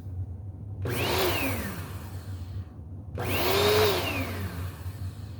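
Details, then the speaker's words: Bissell Powerforce Helix vacuum after adding a bearing, run with the old belt still fitted; motor hums evenly under push-pull strokes, no rattle, squeal or grinding, smooth and quiet. "Actually, it sounds pretty good. I think this might be worthy of a new belt. That's actually pretty quiet."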